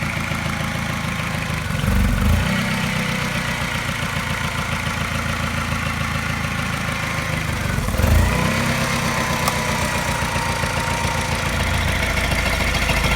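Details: Mini N12 engine, part-warm (not fully cold or warm), fast idle: running smoothly, then suddenly a faint light tap about three per second that coincides with a regular slight misfire; cause unclear.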